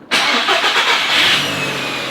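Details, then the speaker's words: Audi RS3 2.5 L five-cylinder, left overnight after a new battery was fitted: quick crank catches instantly and settles to a steady, even idle with no stumble; a clean, healthy start. "It's fixed, isn't it? Not that it was massively broken. It just needed a battery, but I think this is going to start."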